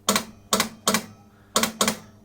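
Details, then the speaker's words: Elvis pinball machine, Blue Suede Shoes shot gate under Heartbreak Hotel tested in coil test mode: sharp solenoid clacks in trains of two or three, about two a second; coil fires and spring moves but gate not lifting, possibly linkage, unconfirmed. "like it's working I can't see you know from where I am so it's that that's the gate there let's see if we can see see something happening I don't think I see the gaint going up I see the spring moving"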